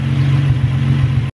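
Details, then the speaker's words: Nissan 350Z after spark plug change and coil pack swapping (codes cylinder 1, then cylinder 3): deep idle with uneven loping pulse as one cylinder drops out. Misfire at idle, cause unconfirmed. "you're wondering what it sounds like and why I can hear the misfire listen [Music] do you hear that that's the misfire"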